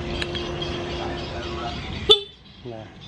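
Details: First-generation Honda CB150R that would not start, weak starter and dead horn before; after charging the battery, a short, clear mid-pitched horn toot over background chatter; horn works, electrics now have battery power.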